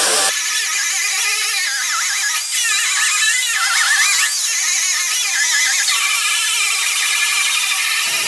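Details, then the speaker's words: Angled die grinder with a fiber disc stripping paint remnants from a 1968 Triumph TR250 fender: steady high-pitched whir with gritty scraping, no wobble or bogging; normal die grinder operation. "so we'll just go with the die grinder and the fiber disc to start getting some of the remnants of that little paint off so here we go"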